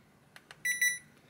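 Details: Hisense air conditioner indoor unit board with fan feedback reconnected, set to cold at minimum: two soft relay clicks, then a short clear high beep as it powers up and the fan starts normally.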